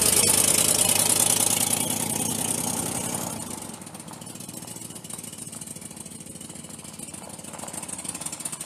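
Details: Truck with cylinders 6, 7 and 8 misfiring and no rod knock heard; owner suspects a wiped-out cam. Loud, lumpy run near three beats per second settling to a ragged idle.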